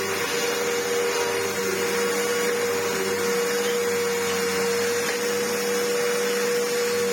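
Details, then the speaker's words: Samsung SU-2911 Jet Propel Light bagless upright vacuum after its restoration, on carpet: smooth, steady high motor whine with even airflow roar and no scraping. Runs normally and picks up fluff and grit well. "perfect that works really well it even picked up a fair bit of fluff and grit"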